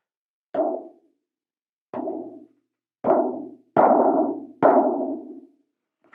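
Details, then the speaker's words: Wildtronics Feather Light parabolic dish without dampening ring or mic unit installed, held up to the mic and hand-tapped five times about a second apart; each tap leaves a thin tinny ring that hangs on, showing the undamped dish ringing. "I'll hold it up to the mic because I don't know how well it's going to pick it up, but I'm just going to tap it. And this is without the mic installed, so it's a little more dampened when the mic unit is installed."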